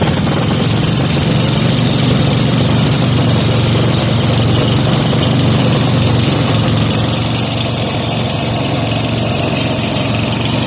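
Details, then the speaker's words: 5hp Briggs and Stratton single-cylinder with gear reduction, just started without choke after mixture-screw adjustment, left running to warm oil and engine: steady even thumping, no misses or speed swings; healthy normal running. "all right so I let it run for a while to warm up the oil warm up the engine"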